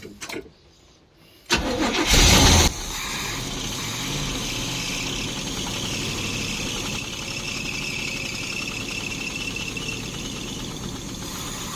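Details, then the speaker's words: 1972 Barth motorhome petrol engine, first run in 15 years, electric fuel pump, new fuel filter and clamps: brief crank, loud burst, rough unsteady stumbling idle; owner suspects the fuel hose doesn't push enough fuel. "this fuel hose is so weird too this thing probably does not push enough fuel in here"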